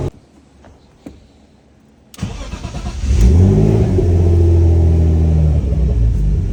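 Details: BMW E46 ZHP turbo with freshly rebuilt forged M52 (new bearings, rings, forged internals, cams), first start on base map: brief crank, clean catch, quick revs, then even steady idle; healthy.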